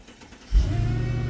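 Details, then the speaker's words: 2006 Mercedes E55 AMG wagon, supercharged V8, auction car: starts at once and drops into a low, smooth, steady idle with supercharger audible under the hood, no roughness or rattles; normal start. "Oh, that's a good sound. Oh, you can hear the supercharger under the hood."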